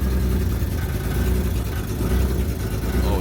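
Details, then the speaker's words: BMW E46 M3 project car, first start of the build after a carbon airbox install. An uneven lumpy beat and wavering low rumble instead of a smooth idle: running rough, cause unknown. "it's running. Something's not He's not happy with something."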